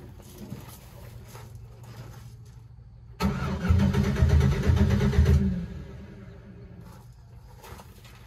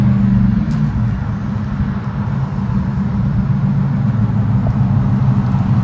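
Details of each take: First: 2007 Chevrolet Silverado with no fuel pump noise at key-on: about two seconds of steady cranking that never fires. The fuel pump has failed and is due to be replaced. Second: 2007 Chevrolet Silverado after fuel pump replacement, previously cutting off: steady, even engine note rising smoothly with throttle, no stumbling or cutting out; runs normally.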